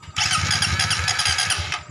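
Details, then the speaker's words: Suzuki GSX that wouldn't start, starter relay ground signal from ECU weak, rewired with 12 V from button: quick even chugging of starter turning the engine over about ten pulses a second; starter engages cleanly. "masuk jos berarti kita tinggal menghidupkan motornya"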